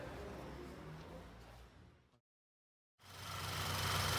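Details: Audi with TFSI direct-injection engine (VW/Audi family), in for engine noise and lit check-engine light. Idle after replacing the faulty part and seating its diaphragm: steady and even, a brief dropout midway, no stumble or hunting, now stable where it was unstable. Normal idle.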